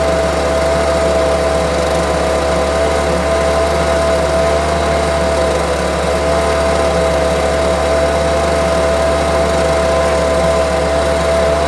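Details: Homelite UT08572 string trimmer, small two-stroke, tested outside after repairs and a spark check: steady, even buzz at constant pitch with no surging, misses or rattles. Owner will check whether an earlier "tink" noise is gone. Normal running.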